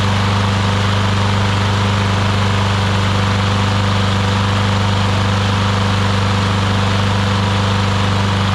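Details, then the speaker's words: Newer Briggs & Stratton push mower that had water inside, after carb clean, air filter, blade and oil change: loud, even, steady drone with no misses or surging; running smooth and healthy. "actually runs incredibly well. So awesome, got that fixed,"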